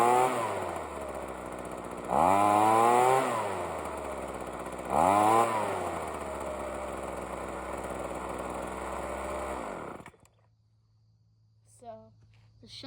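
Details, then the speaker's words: Ryobi two-stroke leaf blower after fitting a spark plug and long carburetor tuning: it starts and surges twice on throttle blips, then sags to an uneven idle before shutting off. It runs but is still a little boggy and unstable. "so I'll start it up quick so you can see it's still a little boggy but it runs all right"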